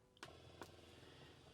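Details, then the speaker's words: Campervan fresh-water pump with the tank full and the tap closed: a steady low electric hum that never cuts out, having run up to 20 minutes without reaching pressure, and only air comes at the taps. Air in the system is suspected. "don't know if you can hear that running that will continue to run I've had it running for up to 20 minutes and it it doesn't reach pressure"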